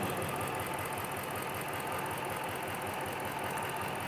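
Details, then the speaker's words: Rebuilt HEMI V8 Chrysler 300, about 133,000 miles, idling: uneven lumpy beat with dull knock-like stumble under a steady hiss, engine shaking; dead misfire, pulling that plug changes nothing, Noid light shows coil signal so PCM and wiring good. "Okay, the engine's running at the moment. It is shaking. It feels like a dead misfire. I'm pretty sure that's what it is."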